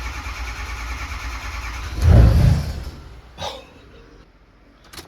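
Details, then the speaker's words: Diesel truck cranks, fires with one burst then dies within a second because the fuel pump was left unplugged, so no fuel supply; plug was left unplugged. "Because that did, if it starts and dies like that, fuel inertia will do just that right there."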